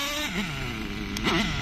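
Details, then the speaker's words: Nitro RC car engine, high-speed needle deliberately opened half a turn, too lean: shrill engine wavers and stumbles instead of holding a clean scream; lean mixture hesitation. "Let's run it too lean. A half a turn on the high end. Big turn. That's too lean."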